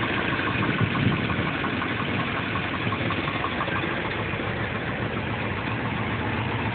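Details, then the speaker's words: 2WD Suburban 5.3 V8 cold start on a freezing morning: uneven, stumbling idle with irregular chuffs and shaking, like a misfire; owner suspects intake gasket and possibly an exhaust leak, cause unconfirmed. "Sounds like an exhaust leak on top of everything else. Wowzer. Firing on all seven."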